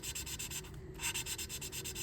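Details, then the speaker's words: Hand lapping an engine valve into its seat, not with a drill: even rasping strokes getting noticeably smoother as the valve and seat bed in. "And you hear the sound, it's starting to get a lot smoother."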